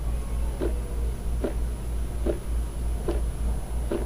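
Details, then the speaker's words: Orion DPL xx16G telescope azimuth slew motor: low motor hum broken by a sharp click about every 0.8 s, once per output-shaft revolution at slew rate one; the motor skips and physically jumps each revolution, causing uneven azimuth tracking. "you can hear it and actually when it skips it's it's physically causing the motor to jump okay let's go to slew rate one again every revolution is popping"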